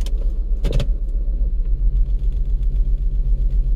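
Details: 2007 Lincoln MKZ 3.5L idling with a deep uneven lumpy stumble; power balance shows cylinder one dead, misfire worsens and engine dies when put in gear.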